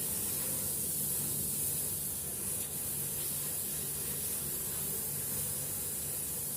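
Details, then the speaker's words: Two-door refrigerator, refrigerator compartment not cooling, during repair evacuation with the unit's compressor running: a steady, even hiss throughout as air vents out of the open capillary discharge pipe. "oke unit kulkas sudah hai hidup dan di sini ada udara yang keluar pada pipa kapiler pembuangan ini"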